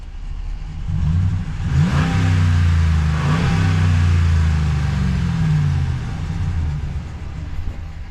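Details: Engine blips up and settles twice, revs rising and falling smoothly with no misfire or knock.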